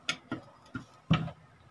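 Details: Ceiling fan with a khat-khat noise before repair: irregular dry clicks, a few per second, as it turns in a quiet room; the fix aims to cure the noise without replacing the bearing.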